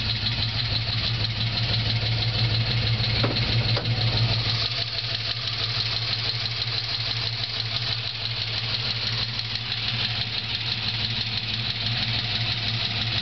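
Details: Holden VZ Senator V8 after bigger cam, ORT intake and dyno tune: steady idle with a fast light tick about three a second; not a collapsed lifter but low oil pressure starving the lifters due to badly worn cam bearings.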